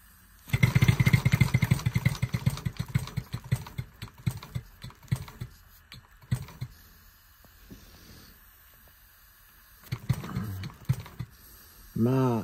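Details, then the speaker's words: Bantam live-steam model locomotive turning over on air after its rods were rebushed with new pins and a gland repacked; loose, uneven clanks ride with each exhaust beat, traced to worn axleboxes that will need replacing. "so the remaining Clank is in the boxes at some point she will need any boxes"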